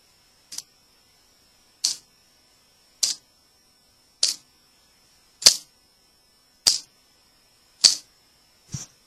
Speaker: What you want to do to master this move is so that it sounds only one click. Both the bite handle and the blade move at the same time.